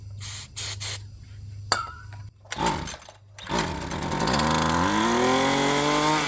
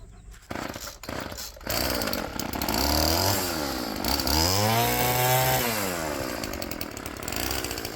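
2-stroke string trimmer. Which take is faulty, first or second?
first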